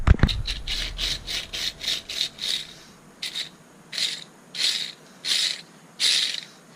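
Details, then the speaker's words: Worn Jeep clutch throwout bearing (removed during clutch job) spun by hand gives a rough, gritty grinding burst, about twice a second then slower, like rocks inside; the new bearing is silent by comparison. "that is not how it's supposed to work. And that's the noise I was hearing."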